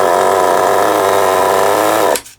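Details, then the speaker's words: Kyosho MP9 nitro RC buggy after 2 years stored: a buzzy high-pitched run, then an abrupt cut-out to silence. Idle is set too low and it stalls; the tick-over screw likely vibrated out and is being adjusted in. "I don't know why it ain't in. I don't know what the bloody hell was happening with it. It must have vibrated out over time or something."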